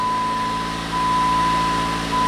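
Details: 2009 Jeep Patriot, 2.4 L AWD, after no-crank no-start repair and DTCs cleared, check engine light off: steady, even idle with smooth low hum and faint intermittent chime; engine running normally, no misfire or knock.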